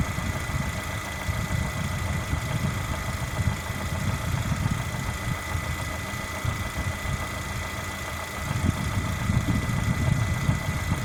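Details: Lada Granta with 127 engine, hot engine: dull irregular knocking low under the engine hum at warm idle, louder in spells; cause not yet known, owner awaiting the dealer.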